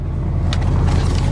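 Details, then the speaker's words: FRS just fitted with Sideways Fab solid transmission mounts, idling: deep heavy uneven throbbing rumble with light rattly ticks, very rough startup, transmission and drivetrain vibrating; owner suspects the bracket, not an exhaust leak, everything tight. "my transmission right here i could feel it vibrating so i don't know it just sounds like it's running rough it might just be the bracket everything's tight"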